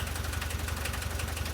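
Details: VW T3 diesel running again after many years, following cleaning and refitting of injection pump parts (lines, distributors, solenoid, throttle linkage); adjustments still needed. Steady, deep diesel idle with even low pulse, no knocks or misses: normal diesel idle.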